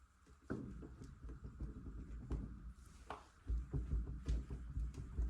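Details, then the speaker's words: 1962 Triumph Vitesse Sports 6, front wheel rocked by hand: dull low clunks about twice a second from loose front wheel bearings flagged by the inspector, before snugging, removing and repacking them. "the inspector noticed that the bearings were quite loose here in the front. And if I'm quiet here, you can probably hear them, and you might be able to visually see how loose they are in the front here."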